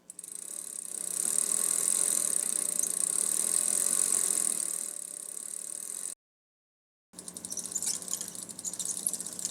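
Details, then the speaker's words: Bicycle after lubricating each cog with T9 Boeshield, pedals turning: fast light freewheel clicking with only faint chain chatter, far fewer squeaks — quiet lubricated chain. "hear how fewer squeaks there are"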